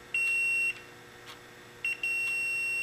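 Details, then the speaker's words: SPDT relay at rest, normally closed terminal connected to common, multimeter on audible continuity with one probe on ground: two clean high beeps confirm the terminal is grounded. "to each side of the actuator. And that does indeed verify that we do have ground."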